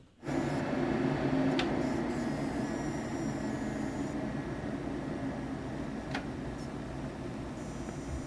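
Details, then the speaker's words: HP PC power supply making a thin, very high steady whine over fan hum while running Windows updates in audit mode; coil whine from vibrating inductors in the power supply. "This noise is most known as coil whine, which results from the inductors in the power supply that consist of copper wrapped around a ferromagnetic core, vibrating due to the frequencies of the current flowing through"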